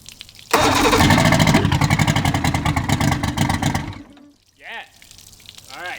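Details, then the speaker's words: Evinrude 150 XP outboard, abandoned, after trigger/timer base replacement: fires and revs with an uneven, stumbling beat, then dies. Runs but not well; carbs need linking and syncing, pickup and wide-open-throttle timing need checking. "but other than that guys it's running but not well okay we can't run it like this just yet we have to re-link and sink all the carbs all the timing check the pickup timing the wide open throttle timing"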